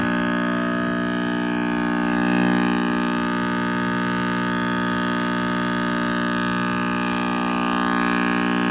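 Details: RCA Victor X551 vintage tube radio at first power-up after restoration and power cord rewiring: loud constant low buzzy hum, no program audio; owner suspects last-soldered filter capacitor with unconfirmed reading, or the cord rewiring.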